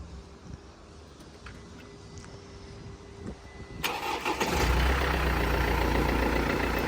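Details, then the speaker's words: Wrecked Copart Mercedes-Benz C250 salvage buy, fluids and oil checked; starter cranks briefly, engine catches and settles into smooth, even, fairly quiet idle, no knocks or misses; normal start and idle. "listen to that P sounds absolutely spot on I mean these are really loud everyone says they like tractor engines but this one isn't even that bad i' say it's quite quiet probably quieter than my E46"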